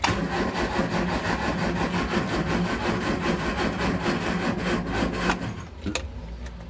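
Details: 1970 Triumph Spitfire MK3 at restoration start, fuel present, plugs wet, spark checked, tried with choke: starter churns about three turns per second for several seconds, slowing near the end, engine never catches; cause unconfirmed.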